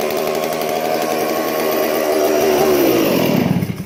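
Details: Stihl MS 461 chainsaw crushed when a log rolled onto it, still running with the carb left unadjusted: a clean, crisp high-rev scream that holds steady, then drops smoothly off throttle. It runs strong.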